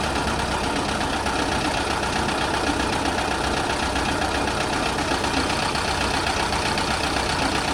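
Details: VW bus with warm Brazilian air-cooled flat-four, Solex H30 PIC carburetor, camera close to engine, after mixture and idle-speed adjustment to cure stalling at junctions: steady, even patter, no misses; mixture set correctly.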